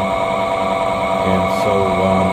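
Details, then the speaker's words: 2016 Goodman high-efficiency furnace with error code EC, no heat and the igniter not lighting: rough, uneven inducer motor drone with a gritty hum and shifting tones; inducer motor failing. "can hear the motor that sounds pretty nasty here's where the uh ear codes would blink"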